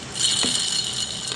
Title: ingay na di mahanap sa ebike kalansing parang ginigiling eto pala salarin